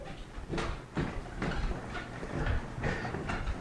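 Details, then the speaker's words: Cellerciser rebounder after a drop of oil at the hinge and each steel-on-steel contact point: soft rhythmic creaks about once a second with each bounce, faint and easing off as oil works in; quieting down. "and then time and guys you can make your solar size are very nice and quiet and the neat thing about it is that the oil and the steel will polish this steel making it smooth"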